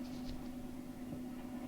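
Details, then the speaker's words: Fender blackpanel Super Reverb amp idling with nothing played, with a constant low hum and faint hiss; the noise comes from an old, poor first preamp tube and is gone once that tube is replaced. "many times the noise issues are PRM Tu related let me show you uh how just to change the the first PRM tube uh takes care of of this problem you can hear the the noise"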